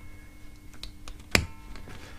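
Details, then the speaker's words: Shoprider mobility scooter electromagnetic brake, new brake unit on the bench fed 24 volts: one crisp single click as the solenoid pulls in and frees the disc, quiet room behind it. Normal brake solenoid engagement. "that's moved now you can actually see the disc is running freely so what happens this is actually a solenoid this electric brake"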